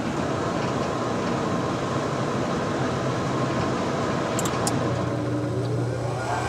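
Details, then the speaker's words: York furnace after DIY inducer draft fan replacement: steady blower rush, then the new inducer fan spins up with smoothly rising whir and settles; starting normally before pressure switch and ignition. "goes the inducer fan. You can hear it kicking on. That's a good sign."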